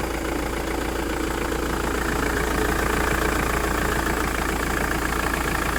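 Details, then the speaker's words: Mk6 Ford Transit Luton diesel van that stalled at idle, after repair and battery reconnected; steady even diesel clatter about three and a half beats a second, five minutes without cutting out, no dips or hunting: normal idle, fixed. "still not turning [Applause] off did we fix it right it's been 5 minutes of idling it's definitely working it's on"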